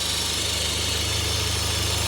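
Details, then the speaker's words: Citroën C4 Lounge at idle: loud rushing hiss with a belt-like chirp, first mistaken for a gearbox noise; a vacuum leak through the torn membrane in the oil-filler/valve cover, which needs replacing. "essa tampa aqui vai uma membrana que trabalha com vaco e ela furou essa membrana aí faz esse barulho aí ó como se fosse Correia faando"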